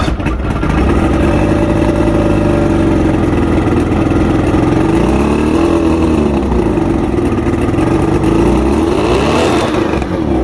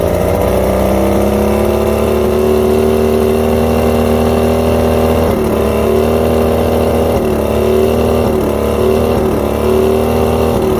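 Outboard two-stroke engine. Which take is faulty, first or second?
second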